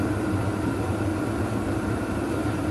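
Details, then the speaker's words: VEVOR 8 kW diesel air heater at startup after pump priming, fan and burner running: steady, even roar of burner and blower with no pulsing or surging; normal run. "so yeah she's firing up you can hear the fan pumping the heat through the burn is roaring"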